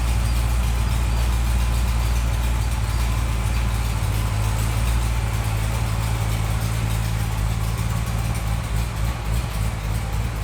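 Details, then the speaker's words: Corvette C6 Z06 with an owner-built engine, on a low-speed drive: a deep V8 rumble with an uneven puffing pulse from an exhaust leak. "boys it's got an exhaust leak so it's Mak there's kind of the sound that it's making hear that"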